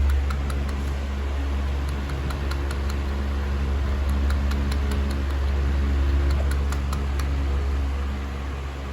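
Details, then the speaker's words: Holmes HASF-1701 standing pedestal fan on high: steady low motor hum with faint ticking about four per second as the oscillation drive strains but never swings the head; owner suspects the loose center piece, unconfirmed. "This thing's barely able to oscillate because it's messed up. So it's basically a non-oscillating fan. Kind of weird. You hear the thing it wants to spin."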